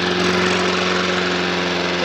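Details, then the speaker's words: Old Briggs & Stratton mower engine, not yet stripped down, runs at full throttle with a steady, even drone, but the revs sit slightly low; slow speed is spot on and high speed wants a notch more. "that sounds lovely that engine could do a bit of speeding up though it's a bit slow"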